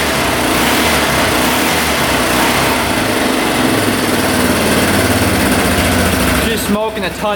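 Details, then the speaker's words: 1989 Yamaha Big Bear 350 4x4 ATV, first start after sitting, carb cleaned, timing and valves set, 110 PSI compression with oil poured in cylinder: rough uneven revs with rattly high note, heavy smoke not clearing, explaining low oil. "she's pretty smokey thing is still smoking a ton [Applause] it's not clearing up at all I can tell you that right now just smoking a ton"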